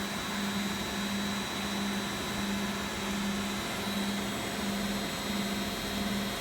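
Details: Beko WX842430W front-loader, possibly 2017, on spin cycle: constant hum holding one steady pitch with a gentle slow pulse, no rumble or scraping; normal high-speed spin.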